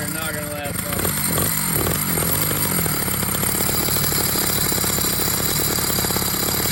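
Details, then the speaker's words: Two-stroke motorized bicycle with a wet clutch conversion, running with the clutch cover off and no fluid added yet: harsh buzz with a loud rattling, chattering clatter from the exposed clutch; noisy clutch. "Alright, so I got the bike fired up. You can hear the clutch."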